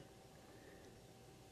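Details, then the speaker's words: Elliott Sound Products phono preamp kit build, bench test with inputs shorted to ground: only a faint steady hiss, no hum or crackle; low background noise for a high-gain amplifier. "yeah pretty quiet I've listened to the phono preamps in receivers how noisy those things can be"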